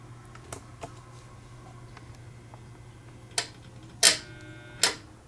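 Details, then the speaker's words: Rare 1950s Fisher-Pierce meter-base photocell switching its lamp; a few sharp dry irregular clicks over a faint low hum from the relay mechanism, normal operation, though the owner notes rust sometimes makes a bad connection. "But yeah, you can hear the clicking noise it makes. It sounds really, really cool."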